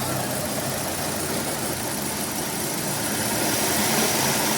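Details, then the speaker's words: Hyundai i20 idling with the clutch pedal pressed: steady gritty whirr and hiss from a broken clutch release bearing, fixed by removing the gearbox and replacing the bearing. "i20 में clutch दबाने के बाद एक आवाज़ ए रहा है ये रहा मैंने अगर क्लच प्रेस किया एक आवाज़ ए रहा है"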